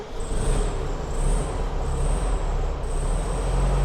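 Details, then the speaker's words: VW Beetle flat-four started after fixing spark plug wires, having previously failed to start and been suspected of hydrolock: a low, steady rumble with no stumbling; normal running. "but we're gonna see if she fires up and runs as it should, or if it sounds like it's hydro locking again."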